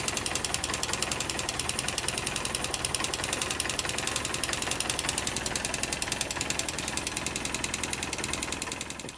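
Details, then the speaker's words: 250cc Jiangshe air-cooled ATV after a rocker (valve clearance) adjustment: a light metallic tick over the idle, weaker but still present and no longer from the rockers. Owner suspects the tensioner or the transmission. "that's about it, the sound is still there, although weaker, we can still hear the metal, but it's not coming from the swing arms anymore."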